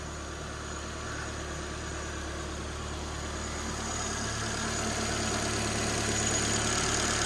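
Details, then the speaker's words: Ford Fiesta race car warming up to temperature; smooth even tick-over with steady beat, no knocks or misfires, plugs checked pushed down correctly; normal idle. "but yeah ticking over nice I like always make sure these plugs are pushed down correctly getting no misfires or anything like that"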